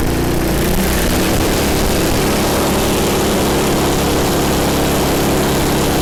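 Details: MTD snow blower small single-cylinder engine, owner-reported governor issues, after governor spring repositioned and high-speed adjusted: steady buzzing after a brief settle, no surging or hunting; runs smooth and even, normal running.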